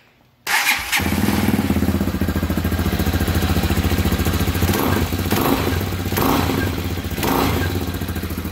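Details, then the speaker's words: 2020 Hawk DLX 250cc EFI single-cylinder motorcycle, after refitting the centrifugal oil filter nut that had backed out and caused an engine rattle: quick start and steady, even idle thump with the rattle gone. "yeah i don't hear that noise anymore i think that was it"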